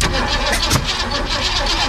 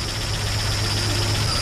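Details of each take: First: 1965 Mustang, roller 302 with electronic distributor and rebuilt Holley 4010 carb, cranking after re-clocking plug wires: catches roughly with a sharp pop out the exhaust; backfire, ignition timing still incorrect. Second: 1965 Mustang, roller 302 with Holley 4010 carb, after advancing the distributor clockwise and moving plug wires: settles into a fairly steady, even idle with low thrum, no knocks, a little exhaust smoke; runs properly now.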